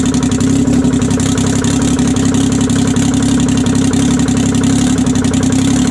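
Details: 1968 Detroit 3-53T two-stroke diesel, first cold start after total overhaul, engine 4.5°C/40°F, outside -3°C: settles into a fast, even idle with steady buzzy beat, no knocks or misses; normal idle, runs good.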